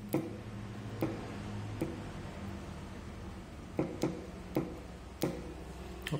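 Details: New 12 V normally-closed automatic water tap solenoid valve, reassembled and retested: crisp single clicks at irregular intervals, sharp and clean with no buzz or chatter; switching normally.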